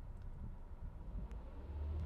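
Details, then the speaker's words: 2011 Volkswagen Jetta after securing a possibly loose intake hose on the air box, following misfire codes and spluttering at 1000–2200 rpm: steady, even low rumble as revs rise gently; runs smoothly, check engine light out. "very smooth see that and the check engine light is out"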